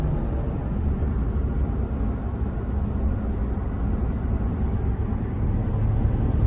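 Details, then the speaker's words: Ford truck after rear differential bearing repair, road test accelerating and coasting: steady low rumble from big knobby tires, no axle whine or howl — quiet rear axle, normal tire noise. "nothing both accelerating and coasting that's awesome just entire noise got big knobby tires on here that's it"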